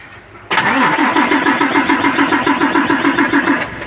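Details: Hino 700 diesel truck cranking only, won't start: starter turns steadily, about four to five compressions a second for three seconds, never fires; air in the fuel system, fixed by bleeding the feed pump.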